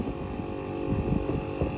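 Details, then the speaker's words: Old Samsung monosplit air conditioner, compressor that previously failed to start and only hummed, now running after the wiring was reconnected: steady low hum with a faint throb, no stalling or struggling buzz; the compressor starts and runs normally. "vamos agora ligar a máquina de ar condicionado e já voltamos a acabar de subir e olha só o que é que arrancou a funcionar era só fornecedor"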